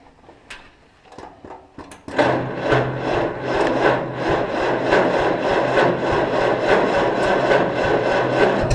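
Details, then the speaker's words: Cockshutt 40 tractor with an updraft carburetor, parked several years, after tightening the battery terminal: even starter churn at about three compression pulses a second without catching. It is a hard start after long storage, but it eventually started and ran. "The old 40 did start eventually and ran, but not"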